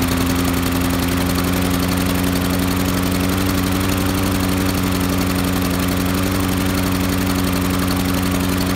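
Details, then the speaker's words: Honda mower engine with auto choke, chugs and stalls after startup per Honda service bulletin: rough, hammering single-cylinder beat below full rpm, not yet climbing before smoothing out; governor spring fault causing surging after startup. "That way it started up and it was chugging really bad. It wasn't coming up to full RPM, and then all of a sudden it smoothed out and then came up to RPM."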